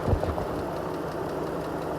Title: Jeep grand Cherokee 2014 ticking noise (NEED HELP)